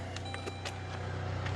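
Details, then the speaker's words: Saturn car that sat in a barn for about a year, just started after sitting all day, idling with no battery light on: a low, even hum with no misses or knocks. It is a smooth, healthy petrol idle. "So my prediction is it's going to stay running."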